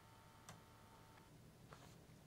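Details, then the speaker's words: Amiga 500 running the Amiga test kit floppy drive read test. Soft irregular head ticks and seeks, no grinding or repeated clunking. The floppy drive reads normally with no issues. "yep no issues there"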